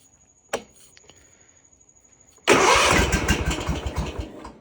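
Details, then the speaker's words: Kawasaki-engined mower, warm day, after sitting a month; starts only with choke up and throttle halfway. One short crank dies, then after a pause it catches and settles into a running rumble. Hard, reluctant starting. "choke has to be up throttle halfway and it'll crank and hit and then once it hits you can take the choke back off and then Crank It Again it'll fire up and you're you're good to go"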